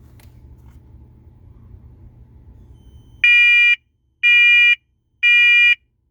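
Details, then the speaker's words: First Alert SA511B smoke alarm, new unit, test button pressed: three loud shrill high-pitched half-second beeps about a second apart; alarm sounds properly. "And wow, that's loud. So it has a very different sound to it. It's really high pitched too."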